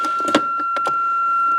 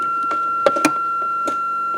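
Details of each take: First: Range Rover, ignition on, foot on brake, shifter in neutral after swapping a wire: steady high electronic tone under a few clicks and knocks, sounding in neutral and off in gear; neutral warning buzzer working. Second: Range Rover, ignition on, selector in neutral during shift interlock wiring repair: steady high buzzer tone without break over quiet clicks; warning sounder sounding in neutral, reason unknown.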